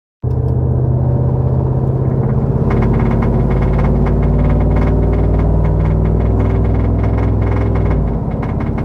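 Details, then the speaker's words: Truck V8 with Boss 302 intake manifold and new injectors, driving under load: steady deep drone with a fast, uneven metallic rattle from the back of the intake, heard inside and outside; absent when revved in park, so owner suspects something loose rattling, not the engine. "Doesn't sound good. Uh rattles quite a lot. Uh you can hear it from inside, outside the truck."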